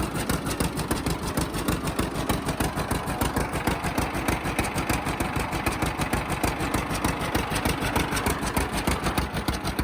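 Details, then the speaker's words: 1950 John Deere Model A two-cylinder idling, first run after about six years in a barn: slow even putt, about three beats a second, sharp puffing edge from small manifold-to-exhaust-pipe leak, to be fixed. "it does have a little bit of a leap between the manifold and the exhaust pipe that's no big deal we'll get it fixed"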